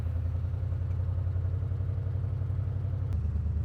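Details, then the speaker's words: Engine idling smoothly and evenly with no pops or misses after the spark plug was fixed; missing carburetor vacuum hose and non-working EGR valve likely contributed, but the plug was judged probably the main cause of the backfiring. "idle's just fine not having that hose on the carburetor could have been messing with the vacuum could have been allowing way lower vacuum too"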